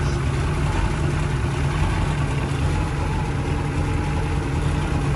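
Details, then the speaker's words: 1996 Bayliner Capri 2050 SS 305 Chevy V8 after tightening loose rocker nuts and refitting the valve cover: even, steady low V8 burble at idle with no tick or tap; normal idle. "That ain't nothing like a V8 Chev."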